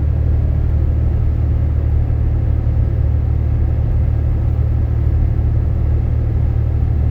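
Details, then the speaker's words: Inside cab of 2012 Dodge Ram 6.7L Cummins, fully deleted, 4-inch turboback exhaust, EGR delete, H&S Mini Max stock tune, climbing slight hill on highway: low even rumble, no drone building; wind noisier than exhaust. "There's just no noise in here. I mean, the wind hitting my little rain guard things in here is noisier than the exhaust, so it's not a concern."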